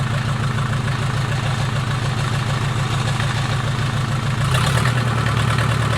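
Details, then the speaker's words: Mercedes 240D OM616 diesel reassembled after sitting a year and a half, started with a jumpered starter solenoid; low, steady, even clatter at idle with no knocks, smoking a little: normal idle. "well i would say it's a success started right back up it actually sounds good smoking a little bit"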